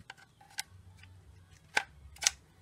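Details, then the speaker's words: 2013 Ford Fiesta rear door latch after owner's repair of the failed actuator (door previously bounced and wouldn't latch): a few crisp, sharp clicks as the latch snaps shut tight and then releases in a quiet room; latch now working properly. "There we go, and it's nice and tight, latched in."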